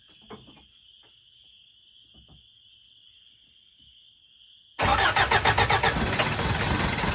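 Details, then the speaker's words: 1981 Toyota 4x4 pickup sitting since 2008, first start attempt: quiet, then sudden catch into rough uneven idle with fast pulsing beat only on starter fluid; fuel pump and fuel delivery uncertain, gas poured in; runs only on starter fluid. "Starter fluid might not be good enough. So, let's just uh dump some gas in it before I cause a big fire."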